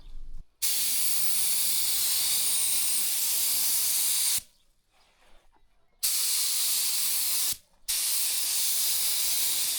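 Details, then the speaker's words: Paint spray gun painting a BMW E36 once air supply returns, after the compressor had tripped its safety with gauges near zero: strong, steady airy hiss in clean multi-second bursts with sharp starts and stops; spraying properly. "Et forcément avec de l'air, ça va beaucoup mieux."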